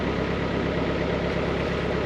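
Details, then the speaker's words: Narrowboat Josh diesel at slow-speed tickover on the River Weaver, hot day: slow lumpy uneven low thump, struggling and sounding like it might cut out. "Sounds like Josh is going to cut out every time we go at slow speed."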